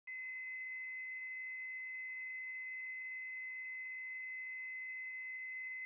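A steady, piercing high whine with a fainter lower tone holds constant with no change; the light fixture is singing, cause unknown.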